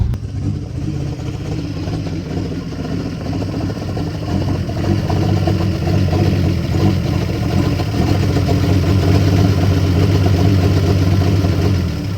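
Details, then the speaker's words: 1973 Jeep J2000 4WD, inline six, 3-speed, after driving, engine not too hot: deep lumpy idle climbing slightly, uneven beats about four a second; rough idle, carburetor running real rich and needing adjustment. "I can get that carburetor straighten out she be good running rig but boy she's running real rich not too awful hot"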